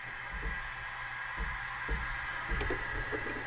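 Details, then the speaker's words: 1980 Peterbilt 359, engine running, heard in the cab. A steady faint hiss with soft irregular thumps, louder since the glad-hand leak was fixed. It stops when the trailer air feed is unplugged; owner suspects a leak on the trailer supply side. "That's the noise. It's over here. It's this thing still. And now it's even more intense because we fixed the leak on the glad hand."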